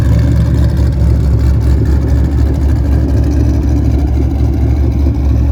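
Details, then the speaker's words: Cadillac CTS-V drift car V8 after exhaust repair with new clamps and sealing: deep steady idle rumble with no ticks, leaks or rattles, sound now exiting at the rear and cabin much quieter; exhaust healthy. "It's crazy how much volume it pulls out of the inside of the car. So maybe I'll be able to hear the blower while I'm driving, that'd be nice. But now all the sound is gonna be behind the car."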